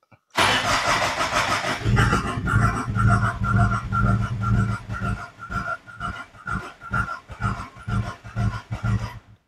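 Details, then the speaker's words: Peugeot 406 HDi diesel, restarted after compression repair with injectors reconnected: starter cranks on and on at about two beats per second without catching. Air in the fuel circuit from disconnecting the injectors, with no priming bulb, so the pump must purge it. "ça c'est sûr j'ai de l'air dans le circuit vu que on débranche les injecteurs on fout un peu d'air partout"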